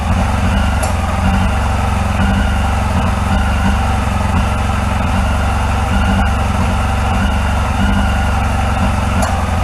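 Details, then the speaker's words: 1981 Yamaha XJ750 Seca inline-four, first run in a long time after carburetor work, with debris coming out of the tailpipes: a steady, even low burble with a regular firing beat and no knocks or misses. Normal idle. "man i forgot how much i love that four-cylinder song"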